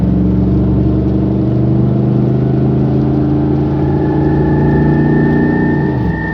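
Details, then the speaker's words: Lifted two-wheel-drive 2008 Chevy Silverado 1500 5.3L at 45–50 mph: steady low hum, held tone under road rumble, easing off near the end, seems from inside the cab; driveline whine, source unknown. "as soon as the noise comes out it's so weird I feel like a UFO is coming to pick us up"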